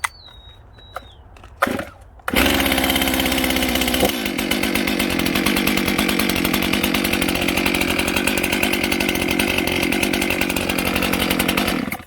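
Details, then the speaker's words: Scrapyard, burnt-out Stihl MS 261C chainsaw after a cheap Amazon rebuild kit, first start on fresh high-octane rich mix: pull-start catches into a steady, high buzzing idle that holds evenly; normal running, to idle about 5 minutes to break in. "So that's a pretty good sign to start with. What I'm just going to do is let it idle for about 5 minutes and break in, heat up nice, and then I'm going to turn the camera back on and we'll see if this thing will actually cut anything."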